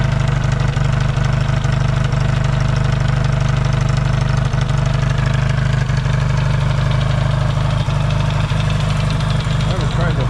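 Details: Yamaha XS650 twin warming from a cold start in an unheated shop: steady, even low throb, regular unbroken firing, no misses; healthy.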